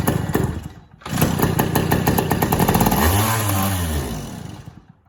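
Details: Yamaha PW80 with a newly arrived replacement carburetor whose choke doesn't work: catches and pops unevenly for about three seconds, revs briefly, then fades out. It fires but won't keep running, won't idle and revs out of control; an air leak is suspected.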